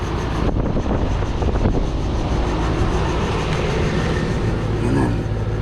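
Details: AC condenser fan assembly after a 1:1 replacement swap: steady, even rushing of the fan at constant speed with no rubbing or ticking; the condenser fan is running normally.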